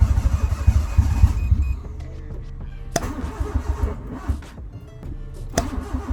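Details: Honda Civic EK hatch after engine rebuild, first start attempts after 3 months: quick rhythmic cranking under two seconds, then scattered clicks with no catch; hard start.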